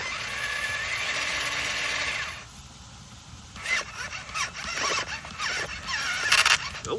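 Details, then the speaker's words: JJRC Staunch 6x6 RC rescue truck straining on a steep climb at an awkward approach angle: harsh hissy grind with thin squeal for about two seconds, then stops; servo and driveline later found intact, cause unclear. "that doesn't sound good. That's real bad."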